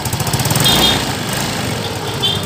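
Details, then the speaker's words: Yamaha Mio M3 scooter after fixing rough noisy head (suspected tappet/camshaft noise): engine settles into an even steady beat with no head clatter. Normal idle. "itu ya ketemu langsung halus suaranya ya langsung halus suaranya disini"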